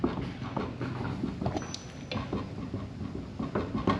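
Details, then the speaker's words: Boat/jetski trailer wheel, trailer raised and spun by hand: uneven clicking and gritty rumble, wheel loose when wiggled; badly worn wheel bearings, likely corroded from saltwater submersion, due for replacement. "you might not be able to hear that the bearings are bad so it's worth it to change"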